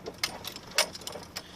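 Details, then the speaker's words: Volvo 244 (owner calls it a 93; title says 1992) with B230F engine and AW70 Aisin automatic, high mileage, while driving: short high-pitched squeaks repeating every few tenths of a second over quiet cabin; suspension squeak, exact source unknown. "And now we'll hear all this squeaking that this car does."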